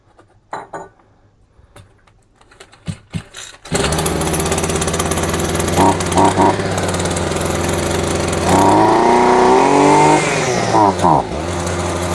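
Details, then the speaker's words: Champion 23cc string trimmer, no choke, fires on fuel dribbled into the intake, buzzes, revs and sags unevenly, then dies and won't restart; carburetor suspected tampered with; unconfirmed. "Just randomly dies and then then it won't start again. That is phenomenally ridiculous."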